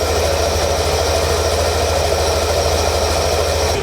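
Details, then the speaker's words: Yamaha Nmax Techmax with a budget CVT setup of a 1000rpm center spring and groove bell, almost 11,000 km, CVT cover off. Steady whirring hiss at idle with no knocks or scraping, a normal dry pulley noise. "Tapos yung ingay na yan, yan, normal yan. Kasi nga, dahil sa dry pace, may pan. Kakaroon siya ng ingay."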